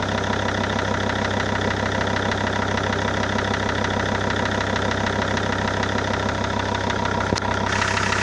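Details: SsangYong Rexton 2 diesel after a shop engine overhaul: steady, fairly regular knock about two per second over the idle clatter; cause unknown.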